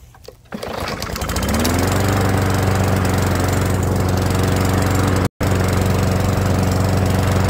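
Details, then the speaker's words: Old Murray walk-behind mower after idle fix: governor spring lever bent forward slightly for more tension to raise idle; catches after a pull, steady even putter with no misses; normal idle. "that's all that takes all I did was bend that lever forward just a little to put a little bit more tension on that spring"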